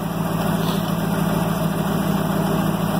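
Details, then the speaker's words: Ford F600 grain truck at rough idle: uneven fluttering tap about three beats a second; owner thinks it doesn't sound like a bottom end knock and hopes an oil change helps. Cause not confirmed. "sound like a bottom end knock because of the way it flutters. So maybe an oil change will do it some justice."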